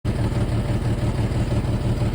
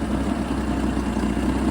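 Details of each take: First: Jeep XJ that bumped and lost power while driving: uneven, lumpy idle stumbling every few beats, then the engine cuts off; misfire traced to a bad fuel injector, with two fuel line leaks also found. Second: Jeep XJ after tightening loose fuel line clamps that leaked: smooth, steady idle with even firing, no stumble, hiss or tick; running healthy, no leaks.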